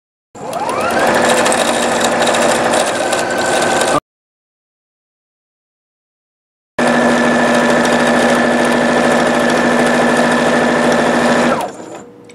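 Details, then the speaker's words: Singer Futura Quintet after cleaning, oiling and replacing a bad bobbin case and throat plate: fast, even stitching at full speed with a steady hum and no clatter, across two runs. The earlier full-speed noise is gone. "And as you heard earlier in this video, it was making a noise when I went to sew full speed, and now it doesn't make that noise anymore."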